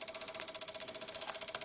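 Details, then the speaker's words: Microsol NG2 voltage stabilizer (110–220 V in, 110 V out) under load: rapid, even relay clicking at about thirteen per second with a buzzing tone while the output voltage oscillates. The cause is a faulty relay and a swollen capacitor. "E aí fica com esse barulho aí estranho, meio chato, podendo até queimar a nossa carga, né?"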